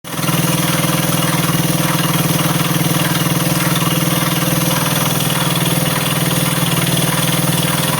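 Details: Honda CBS motorcycle at steady idle with a regular tapping about four per second over the exhaust beat; cause unknown. Engine noise at idle.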